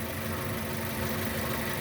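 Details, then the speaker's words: 2006 Nissan Y11 AD, QG15 e-throttle engine idling as scan tool moves VVT from 10 degrees advance toward 0, idle audibly changing. Steady, even idle, low hum, no stumble or hunting: normal idle. "Right, and you can hear the idle change, but also watch the pulse width on the signal changing."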